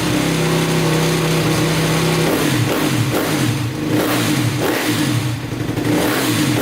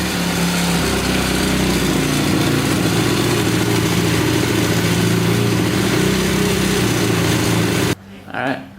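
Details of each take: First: 2010 Honda CRF250R after valve shimming and cam timing checked, first start attempt. Catches and revs briefly with a steady drone, then sputters and dies. Engine stalls after starting; owner suspects it needs more gas. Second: 2010 Honda CRF250R after valve shim work, started using primer procedure: quick, even single-cylinder thump holding a steady idle without stumbles; idles cleanly, though still somewhat hard to start.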